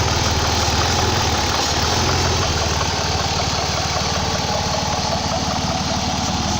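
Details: 2004 Ford Escape / Mazda Tribute 3.0 V6: uneven idle with a steady airy hiss underneath. It sometimes stalls but otherwise runs great; owner suspects a vacuum leak but can't locate it. Hissing with rough idle.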